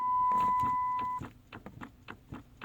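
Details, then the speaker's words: 2006 Chrysler 300 stuck in park, key on and brake pressed: the shifter gives a series of crisp clicks, the normal sound of the shift interlock solenoid; no click would point to a bad solenoid in the shifter assembly. "If you don't hear that clicking noise, then more than likely the solenoid inside of the shifter assembly is bad."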